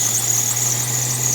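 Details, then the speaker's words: 1982 AMC Concord after ignition and exhaust manifold work: steady, piercing high squeal over idle from front of engine; suspected alternator belt, may need tightening, to be tested by spraying belt. "anyway this is your engine running it sounds like the squeak is coming from the alternator I'm gonna spray the belt and see if it actually comes from that it just might need a tightening"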